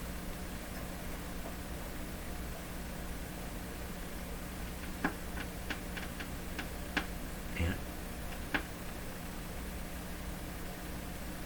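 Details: Canadian Westinghouse Model 684 radio tuned to the bottom of the 15 MHz band: steady hiss with a low hum and a few sharp clicks, no station received; local oscillator and alignment problems suspected.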